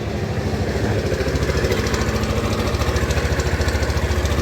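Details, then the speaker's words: Yamaha Fino 125 scooter, owner complaint of a rough engine at all rpm, started and idling: a coarse, uneven throb at about 3.5 beats a second. Rough engine noise, cause still unknown. "suara mesinnya kasar sekali teman-teman Nah ini yang sedang kita pelajari untuk suara kasar yang dikeluhkan ini teman-teman ya"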